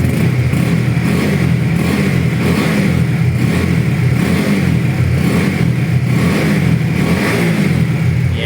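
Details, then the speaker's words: Honda CB150R 2018, about 7,000 km, never crashed or rebuilt, oil changed around 5,000 km: smooth, even single-cylinder engine note held steady, no knocks, ticks or rattles: normal engine revving. "ครับเครื่องนิ่มๆเลยนะครับผมบอกเลยว่าใครหาอยู่คันนี้ไม่ควรพลาดนะครับ"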